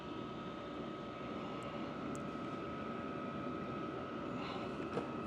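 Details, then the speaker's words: Vevor diesel heater after sound-dampening mod, internals about 126–132°C, turned up to level 8; only a soft, steady blower whoosh, no fuel pump ticking or combustion roar. Normal quiet running. "you'll hear it starts spinning up I don't hear the fuel pump at all the only sound is the blower"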